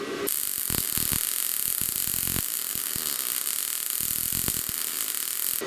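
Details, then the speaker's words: Bestarc MIG 145 welder on 220 V at full 145 amps on cleaned 1/2-inch mild steel: steady even frying crackle for about five seconds, no sputter or popping; normal MIG welding arc, penetration uncertain. "Now I'm happy with that weld, however, I'm not sure how good the penetration would be."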